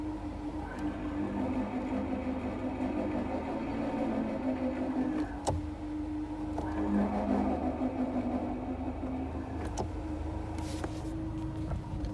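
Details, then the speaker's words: Subaru-platform FR-S clutch: thin wavering whir and faint rough rumble at idle, louder when the clutch pedal is pressed and quieter when released; throw-out (release) bearing on the pressure plate suspected to be failing. "I think that's that's gonna be like something to do with the thrall bearing of the pressure plate or something to do with that because it's when you engage the clutch that it makes the noise"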